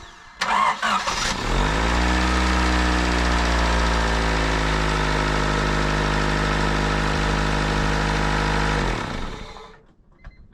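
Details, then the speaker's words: 1998 Honda Civic EX after replacing a snapped timing belt: it cranks, catches within a second and settles into a steady, even idle with no knock or lifter tick, then shuts off cleanly; normal start and idle. "Sounds really healthy. No knocking, no fucking lifter tab, nothing."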